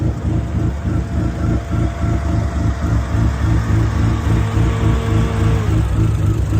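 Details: Dodge SRT-4 with big cams, big turbo and much larger injectors on a rough base tune, first idle: lumpy, choppy idle pulsing about three times a second with uneven beat; rough idle from untuned fuel map.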